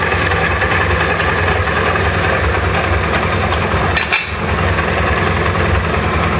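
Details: SMC 250 single-cylinder at idle with a fast, even metallic rattle over the beat; owner suspects a rattling chain.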